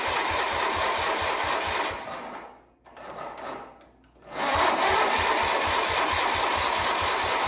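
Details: Wheel Horse 520H garden tractor pulled from a tree row, running on its own on fresh gas from a can with battery and jump pack: quick, even chuffing beat that fades briefly then returns smooth and steady; runs normally.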